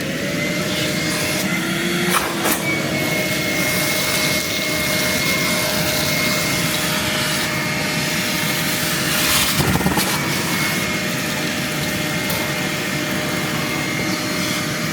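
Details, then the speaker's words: 1987 Honda CRX Si after timing belt install: long steady starter cranking with a thin whine and no firing; the ECU was rusted and water-damaged inside, and the engine ran after a replacement computer was fitted. "We've been cranking on it. Nothing. I'm not sure what's going on with it."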